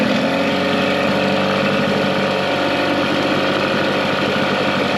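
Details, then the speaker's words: Mercury 9.9 outboard (carb and plugs upgraded to 15 hp) after years of sitting, restarted: starts easily and settles into a steady, even idle with no misses or knocks; healthy. "the motor restarts really easily so i'm pretty confident to take this to the lake and do a lake test on it"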